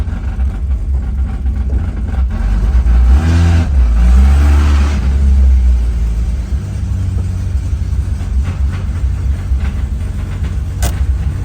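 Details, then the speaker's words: Datsun 280ZX driving after fitting remanufactured fuel injectors and a new fuel filter; before, it ran very rough with misfires. Now it revs up briefly, then settles into an even low drone, firing on all cylinders; a slight stutter on throttle while the ECU relearns fuelling. "But it's night and day compared to where the how it was running. It was running very rough. I could tell misfires. Now feels like it's firing on all cylinders."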